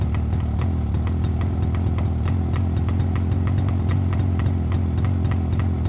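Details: JAWA 350 two-stroke that would not start, now on a rebuilt contactless ignition circuit replacing the cam points: even idle with soft, regular exhaust putter holding steady, no misses or knocks.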